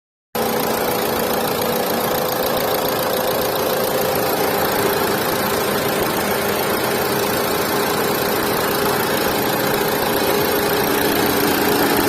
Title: Renault Duster Car Havy Engine Noise Problem | Duster Car | #car #carengine #usedcar